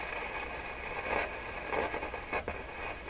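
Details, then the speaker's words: Rogers 11RA651 tube shortwave radio: irregular scratchy crackle bursts, roughly two a second, over steady static. Owner first suspects a loose wire underneath, then a bad tube grid cap; not confirmed. "o I got to deal with this this this sounds like a loose wire or something underneath that's what it sounds like to me"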